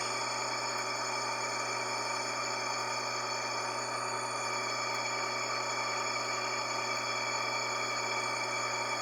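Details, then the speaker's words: Electrolux LF90 top-load washer, which also leaks oil, gives a steady whining hum with a low drone that grows louder as load increases; worn drive bearing, needs replacing along with the mechanism. "E aí bom então esse barulho é sentem está com a correia tem sem peso quando aumenta o peso então aumento barulho aí que que tu tá sentindo entendeu e"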